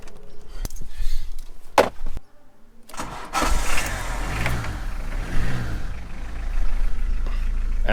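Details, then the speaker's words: Diesel car, cold start: it has long started rough as if the glow plugs were failing, and new plugs helped only slightly. It now starts only with easy start or brake cleaner, and once running it runs fine. Cranking stumbles, then it catches roughly to an uneven idle with lots of smoke. Initially suspected fuel pump. "it started to not want to start from cold once it started it runs absolutely fine so my current starting sequence is"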